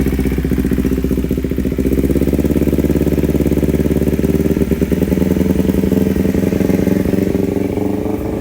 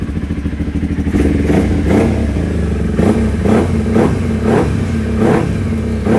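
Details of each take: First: Kawasaki Ninja 250 carbureted twin before repair, complaining of hesitation, limping throttle and high fuel use, with the air filter open and the mic moved toward the airbox: an uneven, lumpy idle with a fast ticking pulse of three or four beats per second. Strong vacuum pulsation; carburetors likely out of sync. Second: Kawasaki Ninja 250 after carburetor repair: quick throttle blips rise cleanly and drop back to a steady idle with no stumble or hesitation. Acceleration is now smooth.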